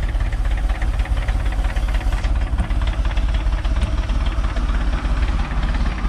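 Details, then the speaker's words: Mercruiser Alpha 1 Gen 1 3.0L 181 cid 140 hp boat engine, after a tune-up with new cap, rotor, points, condenser, plugs and wires and a leak tightened: it fires right up into an even, low idle thump with no misses or knocks. Normal idle. "That sucker fired right up. Double check, make sure nothing's leaking. Doing good there now. Sounds good."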